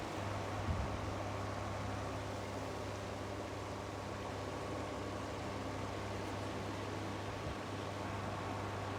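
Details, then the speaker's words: Two Indola 10-inch desk fans, 1960s and 1970s, compared running: steady low motor hum under an even rush of air, no ticks, rattles or wobble; one is far louder, the other basically silent; normal running. "in terms of noise level it's very obvious this one is way louder this one's basically silent it's one of the quietest fans"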